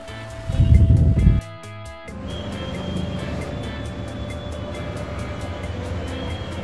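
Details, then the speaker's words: Dead table fan after repair (capacitor connection work), first checked through a series board, then switched on direct: loud switch-on, then a steady low hum with a faint even tone, spinning fast and smooth; runs normally. "So ಈಗ ಡೈರೆಕ್ಟ್ ಹಾಕಿ ನೋಡೋಣ. ನೋಡಿ ಎಷ್ಟು ಫಾಸ್ಟಾಗಿ ನಮ್ಮ fan work ಮಾಡ್ತಾ"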